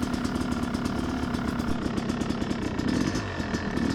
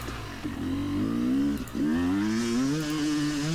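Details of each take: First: Yamaha YZ250X two-stroke after fixing its sticky power valve, started from dead cold on choke and riding: crisp buzzy note rising and falling cleanly with throttle, no bogging; runs normally, issue solved. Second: Yamaha YZ250X two-stroke climbing a hill: revs run clean on top, then stumble and go flat with an abrupt change dropping into the mid-range, the power valve slipping from its held-up state; sticky power valve, later fixed.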